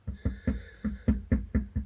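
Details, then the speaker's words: VAZ 2110: hollow metallic clunks, about four a second, as the loose exhaust pipe is shaken and knocks; engine vibration causes it. Found after loosening the resonator-to-muffler clamp, mistaken for rear suspension or strut noise; flex pipe to be fitted. "Вот буквально чуть-чуть я шатаю ее, и уже идет стук. Вот когда идет вибрация от двигателя на выхлопную, вот такое вот может быть."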